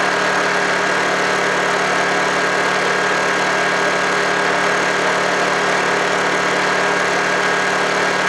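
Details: Honda generator unused for about three months, after a cold start: steady, even drone at constant pitch with no misses or knocks, running smoothly.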